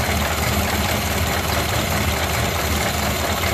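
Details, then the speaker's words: Ford Model A with the in-series fuel shutoff closed: loud low idle turning lumpy and uneven as the carburetor bowl empties, chugging from fuel starvation. "now the fuel's been cut off you'll hear this car start to chug and it's going to empty out that Bowl"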